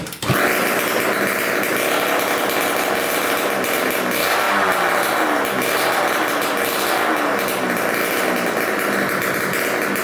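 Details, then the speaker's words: 1987 Kawasaki KX125 two-stroke first start on choke, good spark and high compression, no expansion pipe: loud crackling catch, settles to a steady idle that returns down properly, no air leaks heard; healthy. "all right sounds pretty good i didn't hear any air leaks or anything idle came right back down"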